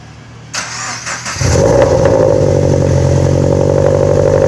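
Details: Scion FR-S/Subaru BRZ first start after installing CNT Racing unequal-length headers with new gaskets: starter cranks briefly, engine catches at once and settles into a strong, even, raspy idle with steady exhaust tone; healthy start.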